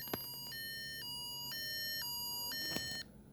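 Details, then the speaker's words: Implanted pain pump sounding its critical alarm after the reservoir ran empty: loud repeating two-tone electronic beeping alternating every half second, preceded days earlier by a faint long beep; reservoir empty. "I'm sure you guys have heard it by now that's the critical alarm so I just want to give this you know video so people know what to look for what what what it sounds like"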